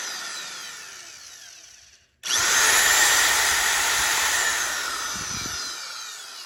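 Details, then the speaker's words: Auction-find Milwaukee die grinder, newly fitted cord, test run before fitting a proper plug: smooth, steady high-pitched whine at even speed with no rattle or grinding; runs healthy. "Sounds good. Unplug it."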